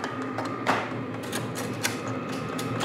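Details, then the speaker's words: New portable diesel tent heater in tool-chest case with glow plug, starting up: light irregular fuel pump ticking over steady fan hum with faint whistle; heater catching and firing, then pumping heat, normal start. "it sounds like it's already fired up so this is like I said it's diesel so it's got a glow plug and once the glow plug gets hot enough it'll start pumping out Heat"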